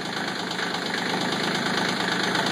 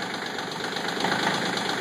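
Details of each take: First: CK20 diesel cold start at 37°F, with one or more glow plugs suspected not working: after a long smoky start with a rogue cylinder, the clatter evens into a steady idle with no skipped beats. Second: CK20 diesel tractor cold start at 37°F, owner suspects one or more glow plugs not working; harsh, uneven clatter with heavy smoke, rpm under 1000 as a cylinder fires intermittently before smoothing out after several seconds.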